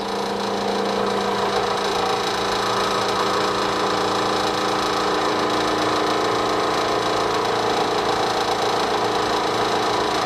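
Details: Three-phase AC induction motor at full braked load, about 1700 rpm, normal three-phase running: steady even hum with constant pitch, no knocks or rubbing.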